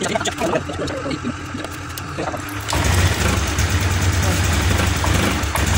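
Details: Scooter catches after a brief crank, then runs unevenly with an irregular chuffing pulse about three per second. New spark plug and new injector fitted, fuel pump normal, but it still sputters and stalls when throttled.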